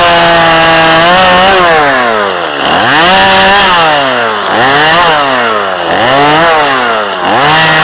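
Strong high rev that dips under load in each cut and recovers quickly, with no bogging or misfire; the saw is running healthy.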